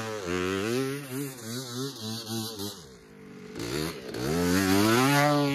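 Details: 1986 Honda ATC250R two-stroke, long stored, ridden on track: revs climb then sag and stumble into a low muddy drone before recovering; bog on acceleration, carburetor tuning suspected, cause not confirmed.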